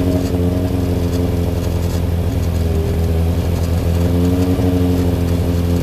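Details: Freshly rebuilt Thunderace engine at its initial start-up, oil filled overnight, water leaks still present: a strong, steady multi-cylinder drone swells cleanly with each throttle blip, with no knocks or rattles. Normal running and revving.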